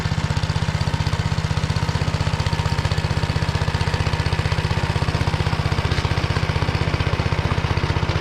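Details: Tractor driving a Motor Sich rotary tiller through the Kamyansky gearbox, rebuilt after breaking with all 3 bearings replaced, under load in hard ground after winter barley: steady, deep, even thumping about three beats per second, no grinding or whine; normal running.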